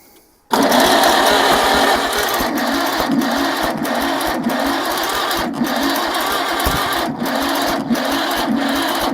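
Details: 1947 Farmall Cub tractor engine with the magneto being moved: about nine seconds of steady starter churning with regular cranking beats but no catch; timing at the governor gear is believed correct, and swapping to a distributor is being considered.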